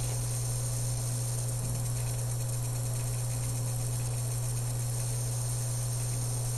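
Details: Dell M65 notebook: quiet, constant high-pitched whine over a steady low hum from the bottom of the notebook, never changing pitch; cause unknown.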